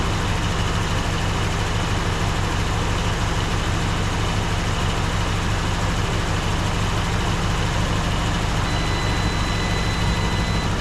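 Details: 1954 Dodge Coronet Suburban V8 first start after 42 years in a garage, oil pressure primed to about 35 psi: steady, even low idle rumble with smooth firing, no knocks or misses.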